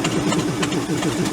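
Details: Ford F800 crane truck, engine once locked up, fed gasoline through a vent with the intake sprayed: low, uneven loping idle surging and sagging every fraction of a second; starving for fuel, running only on hand-fed fuel.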